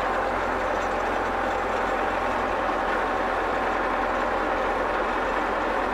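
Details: German E303 mower during drive-belt replacement, running in second transport gear. A continuous, even mechanical roar with no knocks, squeals or surging. Everything basically works.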